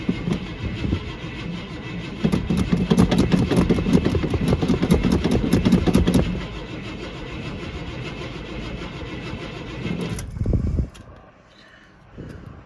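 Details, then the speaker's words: 1979 Suburban on a cold day with no working choke, a worn-out starter, new tailpipes and one muffler off; the carburetor is called very bad. Long, laboured cranking with sputtering catches, a brief ragged run, then it dies. Hard starting. "Now, if it'll start with this crappy worn out starter that's in there, let's see what it sounds like. Gotta sound better than it did before with one muffler off of it. Come on, baby, there's no choke on it."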